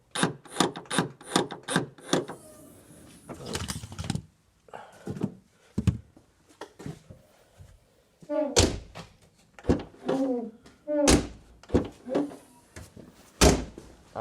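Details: Nissan Note E11 tailgate lock actuator after repairing a broken tailgate harness wire with solder and heat shrink; quick run of sharp solid clunks then single thunks, actuator cycling cleanly and working properly.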